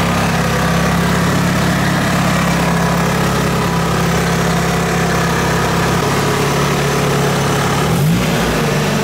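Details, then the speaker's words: Nissan S13 at idle after fitting poly engine mounts to replace worn-out ones: steady low idle with constant buzzing vibration carried through the body as everything rattles; normal running, stiff mounts passing the shake. "so I don't know if you guys can hear that on camera but everything is just rattling everything's are shaking"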